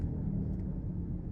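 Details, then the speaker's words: 2004 Mazda 323 Protege, automatic, test drive: steady low humming howl "woong" drone entering the cabin over road rumble; owner unsure whether worn wheel bearing howl or hard, worn-out tires. "รถจะมีดังเหมือนยางหอนนะครับฟังเสียงจะวึ้งๆๆอ่ะเสียงยางอ่ะเข้ามาด้านในไม่แน่ใจว่าเป็นที่ลูกปืนล้อดังหอนลูกปืนล้อหอนหรือเปล่าหรือว่าเป็นที่ตัวยางกระด้างหมดสภาพนะ"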